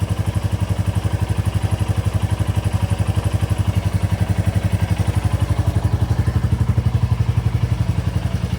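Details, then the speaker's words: 2024 Royal Enfield Bullet 350 single after valve clearance adjustment (0.15 mm clear, 0.20 mm not): an even thump at about four beats a second with light, regular valve tick and no knocks; healthy, steady idle. "I'm going to start it up and see what she sounds like. That all sounds good."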